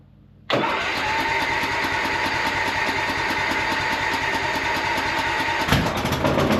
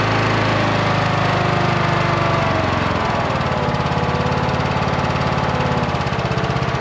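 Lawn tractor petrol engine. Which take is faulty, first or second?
first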